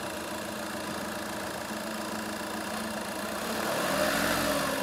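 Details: VW Polo after repair of two faulty injectors; steady, even idle with regular beat around four per second, no misses, knocks or hunting; engine running smoothly, normal idle.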